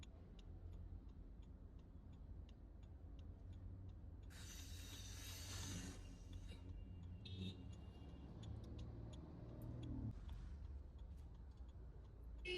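Steady, evenly spaced light clicks, about two or three a second, over a low engine hum; the indicator flasher is working normally.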